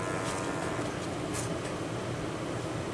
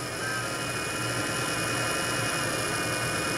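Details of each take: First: Wanhao Duplicator i3 / Monoprice Maker 3D printer cooling fan at 12 volts after worn-fan repair: quiet, even whir with a faint hum, buzzing gone, slightly off balance: normal cooling fan running. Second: Worn cooling fan from a Wanhao Duplicator i3 / Monoprice Maker 3D printer. Constant high whine with a coarse low buzz from the worn bushing letting the shaft rattle; fan unbalanced, and the noise stops after about five minutes, possibly as the metal expands.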